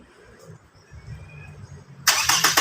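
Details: Toyota Camry automatic that would not start: the loose starter wire was reconnected, then a low rumble and sudden rough burst as the starter cranks and the engine catches normally.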